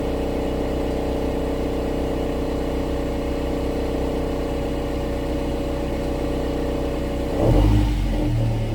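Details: 2016 Subaru Outback four-cylinder, about 80,000 miles, warmed up at low idle in drive or reverse, phone placed under the car, noise at the rear driver side: a fast metallic buzz-rattle from a loose baffle inside the muffler; heat shields were ruled out.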